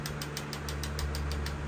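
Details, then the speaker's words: Chevy 262 carbureted V8 from a 1985 Astro, idling: crisp regular tick about six a second following engine speed; knock suspected low in the engine, not timing, worn parts found, cause unclear, engine to be rebuilt. "you hear that there's a lot of stuff in this motor that makes that same kind of noise that's why we got to go that's why we got to go through it"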